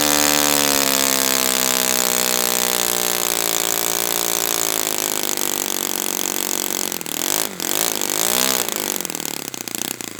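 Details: Brand-new Saito FA-100T twin, break-in run, still warm, no priming or choke; crisp, steady high-pitched buzz holding even, then rising and falling cleanly with throttle. Normal running, called spectacular.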